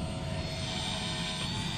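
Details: 2021 Chevrolet Beat that wouldn't start or lost power from failing fuel pump, new pump priming at key-on, pressure near 58–60: steady even electric hum with constant high whine, no surging or stutter; normal fuel pump operation.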